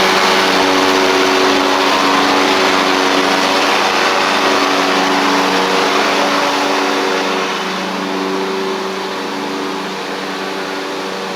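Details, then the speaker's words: Ferris stand-on mower, Briggs OHV twin, ridden down the driveway after repair: loose intake pushrod guide bolt had thrown the pushrod causing a one-cylinder misfire, pushrod unbent and refitted, valve gaps fine; steady, even drone with smooth firing beat, no misses; both cylinders pulling cleanly. "Looks good. Pretty simple fix there, guys. Luckily, it was just the intake push rod valve guide bolt. Came loose enough to where it threw the push rod off."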